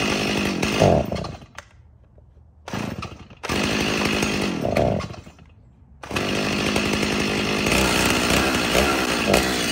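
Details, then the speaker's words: Stihl MS 290 chainsaw: slamming the trigger makes it surge unevenly, stumble and die; must ease throttle in, no immediate trigger response; bog on acceleration, later addressed by carburetor rebuild. "oh see that time I hit the throttle really hard and it dies out it's you gotta ease into it a little bit to keep it going that's not right you're supposed to slam that trigger down and have a media trigger response and it's not doing that"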